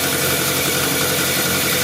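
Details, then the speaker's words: 1983 VW Rabbit GTI, first start after the clutch and pressure plate install: even, steady idle with a smooth buzzy note and no knocking, slipping or misses. Engine sounds healthy. "okay here we go one two three go to the back part it's it's running good"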